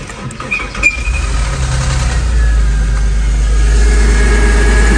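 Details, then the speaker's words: Porsche Boxster after replacing the upper belt pulley: cranks, starts and settles to a smooth, even idle with no squeak or chirp from the belt. Normal start and idle, squeak gone. "There you have it. The squeaking noise is gone. And that was only one pulley."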